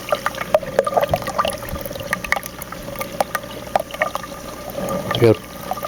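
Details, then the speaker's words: 150 gallon aquarium, Reef Octopus overflow box before modification with a 3/8 hose barb in the bulkhead: loud irregular gurgling and slurping down the drain with sharp splashy bursts as the overflow draws air and gulps. "but when you lift this off you can kind of hear it a little bit I mean this helps to silence it some but let me show you what I did I this is how loud it was originally"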